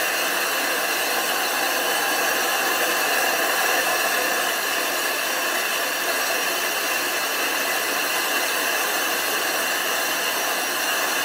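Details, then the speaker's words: Grinding flat the back of a 25-inch F3 telescope mirror blank thinned from 2 in, turning about 45 RPM with fresh abrasive: steady hissy howl with no breaks or chatter as the tool rides the glass; grit cutting properly. "you want to hear that howling grinding sound if it's not howling it's not grinding"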